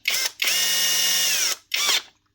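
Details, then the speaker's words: Milwaukee grinder with a very minor problem but otherwise working perfectly; this model is known for failing motor bearings. Three quick trigger pulls, each spinning up to a clean, steady high whine and coasting down with no rattle or grind. Normal running. "It's a very minor problem, like. Grinder works perfectly otherwise."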